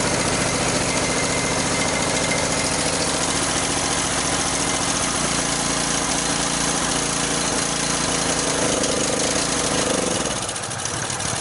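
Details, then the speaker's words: Sportsman generator, unused for a couple of years, started on choke: rough, uneven chugging that sags and dies; it won't stay running, with fuel flow to the float bowl weak and a sticking float questioned. "All right, it's not wanting to stay running, so I'm going to check again to see if I'm getting gas in the float bowl here."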